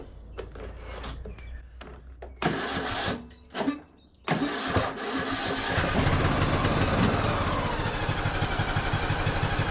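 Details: Craftsman YS4500 riding mower, 21 hp single-cylinder, before tank cleaning: several cranking tries, then uneven pulsing, surging run with popping that won't settle; fuel issues suspected, tank and carburetor to be checked.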